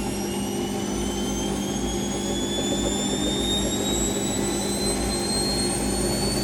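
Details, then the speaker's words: Rescued Siemens WH54080/07 Extraklasse XL 1000 washer, first test load on Cottons 90°C: final spin ramping to 1,000 rpm, smooth even hum with slowly rising motor whine, quiet (sound-insulated), no vibration or knocking; normal. "that's it really quiet is padded with uh sound insation around it that's it 1,000 they're not the most exciting but was not but good and there's not really any vibration from that"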